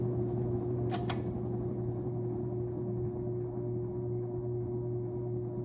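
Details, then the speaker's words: Sears Lasko 52-inch ceiling fan on medium speed, drawing about 0.8 amps: steady low motor hum with a faint tone, no rhythmic knock; noisy motor, owner unsure if normal or a failing capacitor. "Maybe the noise is normal. That could be a possibility. I've seen this with a couple Evergos before. Maybe the capacitor's going bad. That noise is kind of a signal that a capacitor might be failing"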